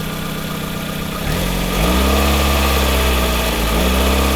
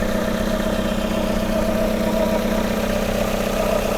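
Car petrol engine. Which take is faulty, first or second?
second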